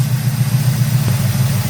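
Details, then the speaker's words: 1971 Oldsmobile 455 V8 carbureted, during tuning: deep, steady rumble idling about 780 rpm after timing set near 12–14 degrees and idle mixture screw one turn in; 18 inches vacuum; smooth normal idle. "Idling at about 780, Battle. That's one turn in on the driver's side. Idle mixture screw."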